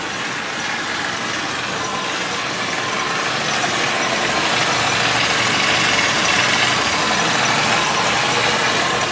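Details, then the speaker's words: Idle after cleaning the EGR valve and reconnecting its vacuum line: steady, even hum with about three pulses per second, no misses or knocks; idling smoother, starting easier and engine quieter after the service. "Masa enjin running, idling lebih smooth, nak start pun senang dan anda dengar betapa senyapnya enjin ni."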